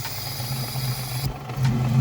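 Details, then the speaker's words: Budget drift car after new spark plugs, with misfire: a disconnected vacuum hose is uncovered by lifting a thumb. Idle carries a thin airy hiss, then the note shifts; vacuum leak from an open hose. "later after installing the spark plugs, and we were getting a pretty bad vacuum leak and just misfire, and we couldn't figure out what was wrong."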